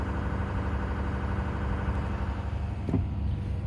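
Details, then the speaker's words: 2018 F-350 6.7 Powerstroke at 210,000 miles after a cold start, warming at high idle: the fan drops off, leaving a steady, quiet low diesel rumble with no knocks or rattles. Healthy idle. "if you hear the fan right now it's starting to drop off and it's off there's a nice and quiet not too loud anyway"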